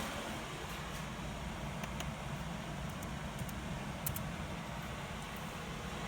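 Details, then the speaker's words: Engine cooling fan PWM-controlled from a Megasquirt through a module that always outputs 19.2 kHz, ramped around 25% duty: a soft, even rush of air with no whine or buzz. Normal quiet fan operation, even at slow speeds. "it always outputs nineteen point two kilohertz is what I was referring it at and that fixes all the noise with via fan and it also allows you to drive it at slowest speeds without any issues"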